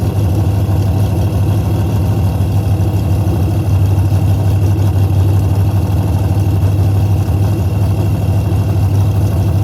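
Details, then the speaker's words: Henry J drag car parked since 1977, first start after a battery charge: loud, deep open-exhaust rumble at a steady fast idle with even pulses; runs normally, started very easily. "Look how loud it is. That was way too easy."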